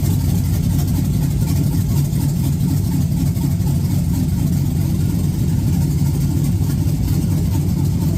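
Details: 1986 Chevy Caprice with swapped 5.3 LS V8, cam and 4L60E, gauge temp 74, on a 60 tune with check engine light on; deep, steady rumble with even beat, no knocks or misses: normal idle.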